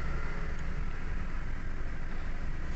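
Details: Toyota Wigo with check engine light and cylinder 2 injector circuit code, spark plug already replaced and coil working, injector intermittently failing: low idle rumble with uneven stumbling beat and dropped pulses; cylinder 2 misfire.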